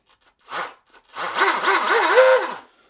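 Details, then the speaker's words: DIY RC Shrimp rigger boat driveline after fix: new Teflon liner and better motor alignment; clean motor whine rising and falling with throttle, no knocking or grinding, runs smooth without heat; faulty liner suspected earlier cause. "and runs nice and smooth without getting hot."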